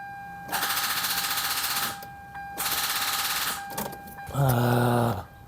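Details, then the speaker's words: Hyundai Tiburon under restoration during compression test, plugs, fuel pump and injector fuses removed, battery reading 12.7V: fast even clicking in one-second bursts with key held, engine never cranks; cause unknown, owner first suspected dead battery. "battery's dead. That's stupid. It's at 12.7. Why is it not cranking?"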